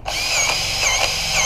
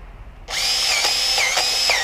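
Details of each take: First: Grease gun servicing a Bobcat T590 with about 20 hours: steady high-pitched motor whirr with no bogging or strain; the gun pumps evenly and the fitting is taking grease fine. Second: Powered grease gun greasing a Bobcat T590: high motor whine repeatedly sags in pitch under load, then recovers as a blocked grease fitting clears and debris pushes through.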